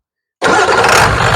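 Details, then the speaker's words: 1994 Ford 7.3 Powerstroke diesel truck after fixing crank-no-start at the IPR wiring: fires immediately and settles into an even, steady clatter with no hesitation or stumble; clean start. "you make sure they're good and out of the way everything's all happy"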